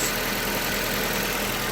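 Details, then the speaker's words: 2003 Nissan Almera N16 1.5 petrol manual, after replacing and adjusting the alternator and power-steering belts, steering at full right lock: smooth, even idle with no belt squeal or chirp; normal idle. "you can see it's not there's no screeching or nothing now that's perfect nice and quiet that's what you'd like to hear"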